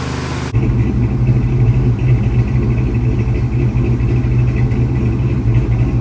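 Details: 1970 Dodge Charger V8 idling after a fuel pump install, first run in at least 18 years: deep steady rumble with an occasional uneven beat in the firing, a slight misfire at idle.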